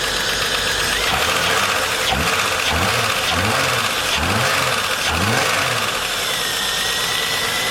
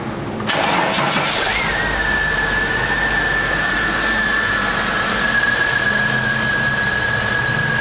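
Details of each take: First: VS Commodore first start after head gasket replacement, no coolant in yet, watching oil pressure: loud engine with light rapid tapping as it revs up and down; owner hopes the noise will quieten, cause unconfirmed. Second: Holden VS Commodore after a head gasket job: heads crack-tested, inlet seats recut, exhaust valves lapped, fresh oil and filter. Catches quickly and settles into an even idle with a faint constant whistle; normal start and idle.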